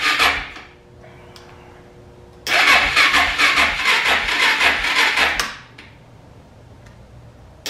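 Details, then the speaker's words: Suzuki DR650 motorcycle sat over 4 years, carburetor cleaned, battery charged; starter churns in uneven pulses about two a second for three seconds, engine never fires; cranks but won't start, before starting fluid into carburetor. "let the battery charge the next day it still wouldn't start on its own so I decide it was probably time to go ahead and pull the air box so that I can get some starting fluid into the back of the carburetor and see if we can get this thing to hit and fire up"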